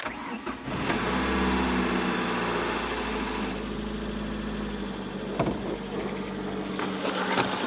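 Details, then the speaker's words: 1997 Ford Escort LX wagon, first start after head and accident repair, in neutral: cranks briefly, catches, settles to slightly uneven idle with valve train clatter expected to quiet; engine starts and runs. "Well, she runs. Give it a second for that valve train noise to go away. Feel the oil pressure. Think it's normal?"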